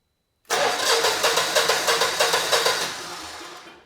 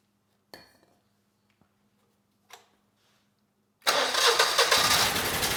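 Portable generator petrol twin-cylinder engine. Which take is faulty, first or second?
second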